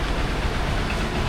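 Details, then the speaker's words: Honda XR150 single-cylinder after top overhaul: low steady idle thrum with no slapping or knocking; engine now sounds perfect, normal idle. "That's a perfect engine right there, that sound."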